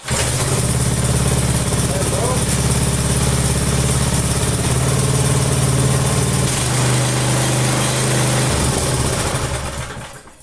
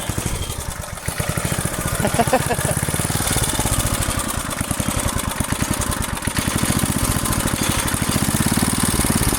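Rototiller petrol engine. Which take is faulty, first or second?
first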